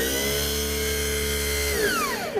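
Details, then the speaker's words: 34" Dixie Chopper Silver Eagle mower starter, energized with a jumper clip acting as the key switch; it whirs freely at a steady high pitch and then winds down, and the pinion does not throw out to engage the flywheel; faulty starter suspected. "now the problem is that spindle should shoot up to engage the flywheel and the motor but it's not um shooting up it's just spinning in place"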